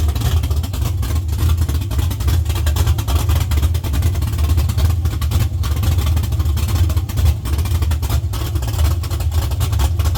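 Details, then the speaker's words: LS-swapped Chevy C10 on Holley Terminator X, first start after sitting 3 years: strong, steady deep V8 rumble revving smoothly with no knocks or misses; running healthy. "You revved up. Y'all sitting the pedal."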